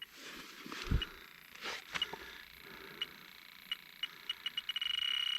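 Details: Trane XL18 two-stage system with low-superheat fault, detector at the indoor coil's dark oily brazed fittings: beeps speed from slow chirps to rapid near-continuous alarm, reading 99 of 999. Strong refrigerant leak at the coil fittings.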